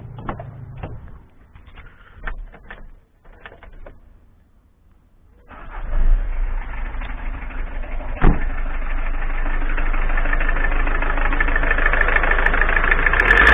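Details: Citroën ZX XUD diesel after replacing accessory belt tensioner pulley (belt drives power steering pump, alternator, damper pulley): after handling noise it cranks, catches and revs up cleanly with no belt squeal; belt fine.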